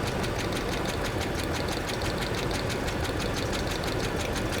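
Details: 2005 Dodge Ram 2500 with P0301 cylinder 1 misfire: steady sharp ticking about five per second over a rough idle, exhaust-leak-like tick; coils confirmed sparking.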